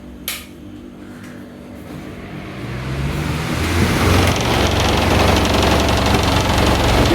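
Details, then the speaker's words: New Havells Ventilair DB 12-inch (300 mm) exhaust fan, 70 W and 1400 rpm, delivered through Amazon with a dented, non-original grill: it spins up to a loud rushing hum with a rapid throb and shakes badly. Owner blames bent blades spaced unequally from the frame. "can see that it's madly shaking, it's shaking very badly. So basically what's the problem is that this fan is shaking very badly."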